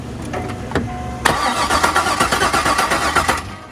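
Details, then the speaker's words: C5 Corvette Z06 50th anniversary, about 50,000 miles, stored about 3 years with old fuel: starter spins the engine in quick even pulses without catching; fuel pressure present but no injector pulse, injectors suspected clogged. "The injectors might just be clogged. If it's sat for 3 years. I'd say we start with new injectors. They said they weren't getting an injector pulse."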